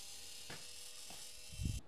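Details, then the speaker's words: VW CJAA common-rail TDI (CP4 high-pressure pump), priming after fuel filter change without scan tool by jumping pump power: thin steady electric buzz with soft clunks, pump runs but only wets filters; suspected lost prime from air ingestion, not pumping. "okay so that did not work so it pulled a little bit of fuel into the filter housing make the filters wet but not enough uh to actually pump so I think once it got a bunch of air into that pump it just started uh it lost its prime and then it wouldn't pump anymore"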